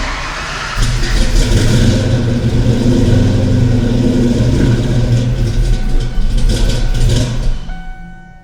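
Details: Ford 5.0 small-block V8 Foxbody Mustang, rebuilt Kenne Bell 2.1L supercharger, 42 lb injectors, bigger MAF, first start, throttle nursed: catches, runs lumpy and uneven, pulsing with throttle; cylinders 2 and 4 cold, possibly missing on two.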